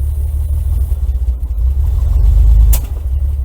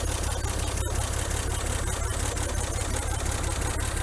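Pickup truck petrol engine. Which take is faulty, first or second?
first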